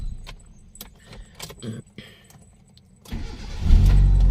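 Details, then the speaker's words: Mitsubishi E-Car 4G92 after repair for poor acceleration, unstable idle and rpm drop with A/C on; fuel filter replaced: key jingle, very short crank, fires at once into firm idle; starts easily. "ยากนะครับตัดสินง่ายนะครับดับกี่ทีๆก็สตาร์ทติดง่ายนะครับนี่"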